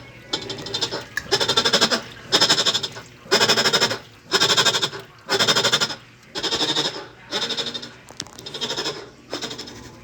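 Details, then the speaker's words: Whirlpool top-load washer while washing: loud groan in a bleating rhythm with each agitation stroke; worn, loose drive pulley. "esta lavadora la trajo el cliente ahí tenemos el modelo tiene un ruido ahora tengo lavando"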